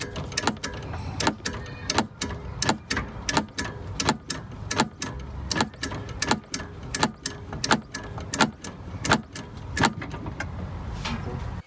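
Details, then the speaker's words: UAZ Patriot 2019: sharp metallic knocks, about one and a half per second, when the steering wheel is turned right; worn rubber lets the loaded steering shaft's universal joint strike a stud. No knock when turning left. "и рулевой вал начинает стучать об шпильку о своей крестовины он начинает стучать об шпильку"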